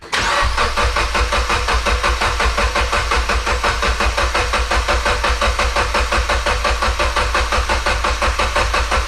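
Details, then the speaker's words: Mitsubishi Evo X after MHI 18k turbo swap, fuel pump relay pulled, cranking 15-20 seconds to prime oil pump and turbo: steady, even starter cranking about ninety pulses a minute with no firing; normal cranking without fuel. "All right, we're going to crank the car for like, I don't know, 15 to 20 seconds without any fuel to get the oil flowing to the"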